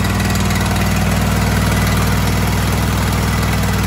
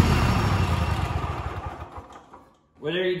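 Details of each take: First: Kohler KT735 7000-series twin on a Cub Cadet SLX50 tractor at idle, running at half power; lumpy uneven low thump, firing on one cylinder; spark testers confirm no spark on the left cylinder, ignition coil fault. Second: Kohler KT735 7000-series twin on a Cub Cadet SLX50 after replacing the failed ignition coil; fairly even beat winding down, faint popping and missing at top end blamed on accumulated unburned fuel clearing; sounds much better, normal running.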